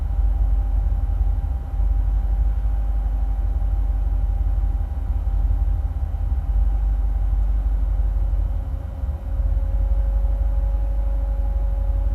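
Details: 2008 Corvette C6, automatic, tuned, with cold air intake, long tube headers and no cats, plugs recently changed: deep lumpy idle sagging a couple of times under a faint steady whine; rough idle with rpm hunting, owner links it to fans kicking on, cause unknown.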